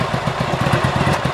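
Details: 1985 Yamaha Virago XV700 after fitting a voltage stabilizer to the ignition feed: steady, even V-twin idle with regular low pulses, about eight a second, no grinding or clatter from the starter; normal, healthy idle.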